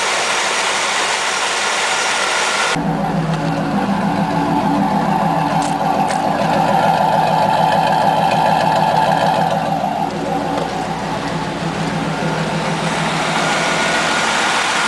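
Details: Firebird LT1 V8, under 100,000 miles, just jump-started after sitting 6 months with weak battery: fires up into a steady, even idle with low rumble, no knocking or misfire; normal idle.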